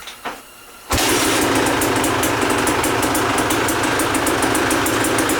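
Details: Kawasaki KX250 two-stroke dirt bike at the end of its rebuild, carburettor reassembled after the slide was found hung up at about quarter throttle; petcock seal leaking. Engine catches at once and settles into a crisp, steady, evenly popping idle without hesitation: normal start and idle.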